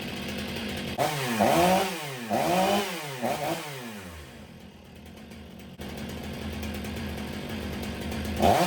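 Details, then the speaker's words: Stihl MS 500i chainsaw after repair: revs cleanly in bursts with no hesitation or stalling, then settles to a lumpy, rich idle that bogs; owner suspects the computer is still compensating for the faulty fuel pump. "It seems to be running rich at idle. You can hear it kind of bogging down. I think the computer is still compensating for the fuel pump not working properly."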